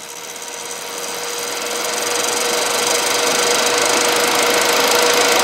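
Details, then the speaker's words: Running PC after the CPU lost power while parts were pulled with the machine on: it shut down but the fans go flat out, a rising airy rush with a thin steady whine; smell of burnt plastic. "Se sammu, mut tuulettimet menee ihan vittu apeshit. Kuunnelkaa nyt tätä."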